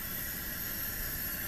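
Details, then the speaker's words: Old Coleman 414 Powerhouse dual-fuel stove, first run after about two years stored with a quarter tank of fuel, primed and heating water: steady, even hiss with no sputter or popping; the burner runs cleanly. "listening to him hiss away warm up a little water"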